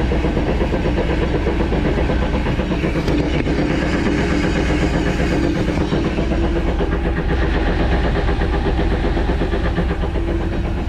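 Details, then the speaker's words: 2010 Jeep Wrangler jacked up on jack stands, running; rear drivetrain makes deep steady churning whir pulsing like an old train. Rear diff checked, no metal flakes; no driveshaft play; owner suspects bearings, cause unknown. "so i got this strange noise going on and uh posting up to the jeep club to see if i can find out what's wrong with it"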